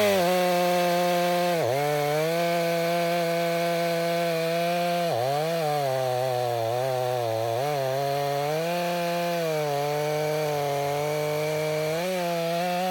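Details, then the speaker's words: Stihl MS 500i chainsaw cutting after chain sharpened with a two-in-one file: strong steady note dipping briefly as it bites into wood and recovering cleanly; cuts well. "That works better with that chain."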